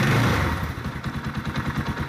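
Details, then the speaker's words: Yamaha Scorpio 225 at idle: uneven idle with hollow knock each firing pulse, about eight a second, around the cylinder block; worn loose piston slapping, engine to be torn down. "disekitar bloknya ya block silinder untuk tumbuhan sementara ini suara pistonnya ya sudah oblak"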